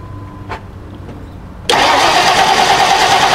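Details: 1990 Lincoln Town Car with a fuel pump replaced a few months earlier: steady, even crank that never fires, a no-start with spark present but no fuel pressure.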